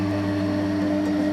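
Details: Flood-damaged scrap Corghi tyre machine rebuilt with new bearings and a seal, first run after reassembly, air not yet connected: steady, smooth electric motor hum, even tone, no knocks, grinding or squeal; motor runs healthy.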